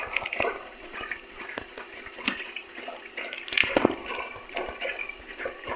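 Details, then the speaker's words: Freezer with a low-side leak being tested with leak sealant: irregular watery gurgling and bubbling because the evaporator is full of oil; it still starts cooling. "si sente gorgogliare perché l'evaporatore è pieno d'olio,"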